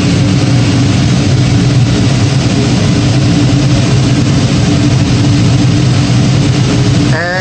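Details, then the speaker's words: Gas power burner on one of two ganged steam boilers just after ignition, ramping up, with a new 24" Field barometric regulator. Deep, steady roar, even low rumble, no surging or pulsing; firing cleanly. "you should hear the uh tropper ignition and the boiler ramp up and there we go so responded very nicely"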